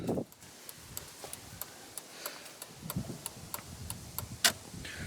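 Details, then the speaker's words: 2nd-gen Dodge Ram, truck on, after replacing original ~20-year-old Chrysler turn signal relay: crisp steady ticking about three clicks a second, hazards and turn signals flashing normally; old relay was the fault. "Flashers work, but they already worked before. You kind of hear it clicking."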